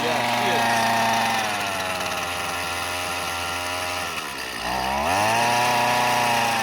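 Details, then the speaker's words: Curb-found Husqvarna 128CD two-stroke trimmer, first start: revs up, sags and picks back up with a burbly, uneven note; running rich. "Yeah, that's running rich. We'll leave it at that."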